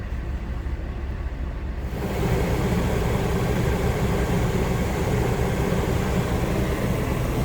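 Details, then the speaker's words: Newly installed rooftop AC on a Kenworth T660 with a 144-inch ARI Legacy II sleeper, replacing a Coleman Mach unit that would not blow cold, set to 66: clicks, then a steady whoosh of air with no rattles. It runs normally and blows cold. "We got the unit set to 66. Listen, you hear them clicking. Everything's clicking."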